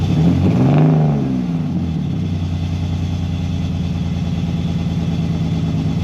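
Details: BMW E46 330ci drift build with headers, a new custom valved exhaust and solid Condor Speed Shop mounts: a short rev blip drops back to a deep, steady, even idle burble; the exhaust sounds healthy, and the valve changes the tone, not the volume.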